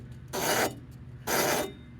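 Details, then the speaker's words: 2005 Chevrolet Silverado, wheel lifted off ground: loose, wobbling hub assembly spun by hand gives harsh rasping grinds from a bad wheel bearing; wobble also triggers brake pad squeal tabs. "If you get to your wheel bearing hub assembly and it makes noises like that and wobbles, that means your uh wheel bearing is bad."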